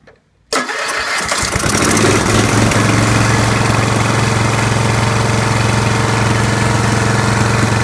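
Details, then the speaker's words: Wheel Horse B115 lawn tractor, Briggs and Stratton single-cylinder, first start after winter storage with the kill wire disconnected; fires right up after a short crank into a steady, even idle, no misses. Confirms a faulty kill switch relay was grounding the kill wire. "okay that verifies that the uh the kill wire is the problem and I need to uh look into that relay because somehow that relay is uh grounding the green wire which is in turn grounding the kill wire"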